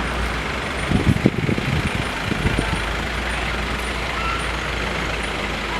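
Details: AC coach or Tempo Traveller bus: a steady airy hiss over the low rumble with a few brief thumps early on; source of the hissing unclear.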